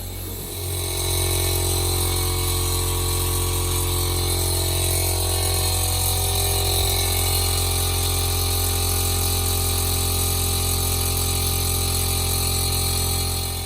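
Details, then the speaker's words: 1965 Mercedes 200 D with airbag suspension being installed: the air compressor kicks on to fill the tank and settles into a steady, even buzzing hum with constant pitch and no knocking. This is normal running. "so go ahead and hit switch and you can hear the uh hear the compressor kick on now"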